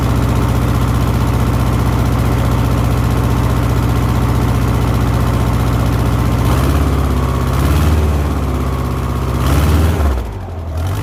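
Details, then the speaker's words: 1970s Layton roller compactor with Ford Taunus 60-degree V4, which previously died after 20 seconds (suspected fuel delivery): after the fix it holds an even, steady V4 beat with no stumbles, then shuts down cleanly. "all right that sounds like we fixed it I'm shutting it off"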